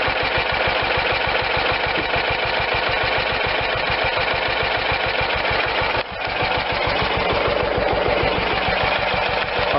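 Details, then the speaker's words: John Deere LT160 lawn tractor, Kohler Command 16hp single-cylinder engine: slow loping chugging idle because carburetor idle speed screw was set way too low; turned clockwise a couple turns to raise idle to normal. "i'm gonna give it just a couple turns and let's see where the idle is it was way too low"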